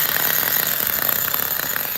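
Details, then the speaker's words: Nitro RC engine on a Mutant nitro unboxing, first run after opening the closed low speed needle: high, raspy buzz with slightly uneven, blubbery firing; it runs but the mixture is too rich. "it's a runner and it's uh too rich now too rich too rich we got a runner"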